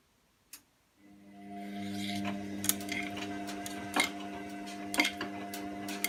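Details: Washing machine wash cycle: soft motor hum with sharp, irregular clicks roughly once a second; source of the clicking unclear.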